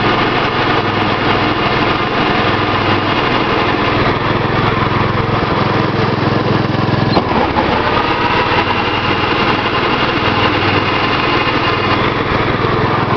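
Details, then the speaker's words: Gravely 810 with Kohler cast-iron engine, long-unused mower deck engaged: steady engine with a constant rough gritty whir from the deck; owner says rusty deck bearings from sitting make it noisy and need replacing. "I'll show you what the deck sounds like. It's really noisy."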